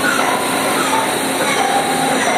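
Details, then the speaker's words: Machine tool spindle in second gear at 6000 rpm, stepped up from 1500: a steady, even high whirr and hiss with no knocks or grinding, quieter at speed because oil fills the gaps between the gears. Normal high-speed running. "and that's where the speed actually gets a little bit quieter because uh because of oil actually goes on the gears and fills up the gap"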